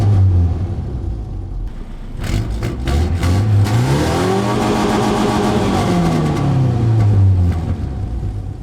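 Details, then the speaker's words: Manual Ford Ranger 2.5 with a badly leaking exhaust manifold: revs up and down smoothly but with a raspy, puffing edge; sounds cammed though it isn't; owner suspects the leak causes its sluggishness. "It feels fine, other than the manifold leak that it has. I'm sure you guys heard it. It is leaking pretty badly."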